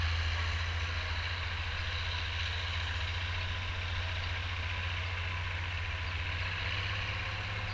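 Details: Oliver 1550 tractor, about 54 hp, disking with a JD BW disk 6–8 inches deep after fuel-system contamination cleared: deep, steady diesel drone, even and unbroken, with no knocks, misses or surging; healthy running under load.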